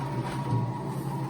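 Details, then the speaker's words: Precor C964i commercial treadmill with light domestic use, running unloaded after quick start. A quiet, even hum with a low steady drone and no thumps or scraping; the belt runs and tracks smoothly. "see the belt's kind of tracking smoothly along there"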